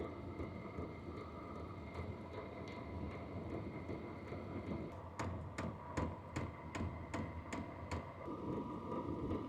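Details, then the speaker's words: H-Calory diesel heater with a quieter replacement WAYSKA piston fuel pump, shell off: faint, steady ticking about 2.5 per second over a low hum, quieter than the original pump. Normal fuel pump ticking. "So you can still hear it, what you're going to, because it's a piston that goes back and forth. But it's a lot quieter than the original one."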